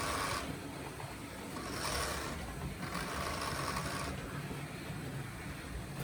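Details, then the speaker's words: Old Gützold model train locomotive on test track, H&M Duet controller: thin whirring drone with intermittent high whine over rough buzz; noisy motor, owner suspects it needs oiling, unconfirmed. "Well, it certainly works. Sounds like an old lemur."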